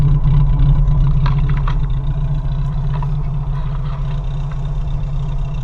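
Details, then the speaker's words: 1987 Suzuki Samurai warming up after fuel filter change: rough, uneven idle, lumpy exhaust beat with irregular stumbles, missing horribly; owner suspects catalytic converter; stalls at stops, floods, smokes black/bluish; front belt or pulley noise also heard. "now it's not sucking it in but it's also missing horrible"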